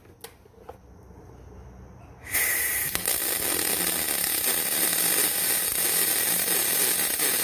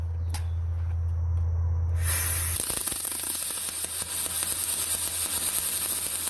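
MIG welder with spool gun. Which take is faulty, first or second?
second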